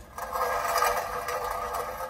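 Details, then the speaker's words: Mercedes Sprinter van at about 515,000 miles, rear wheel turned by hand on an axle stand, handbrake off, engine off: dry uneven scraping grind; owner suspects a stone stuck between the disc and back plate, pads still have material. "I've taken the handbrake off just to see and there was a definite grinding noise a second ago"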